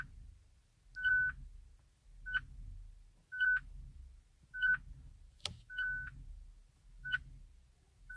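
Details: Hyundai Ioniq Electric won't start, brakes problem shown, key not detected, start tried by pressing the key on the start button; short high beeps about every 1.25 seconds between soft thuds, warning instead of starting.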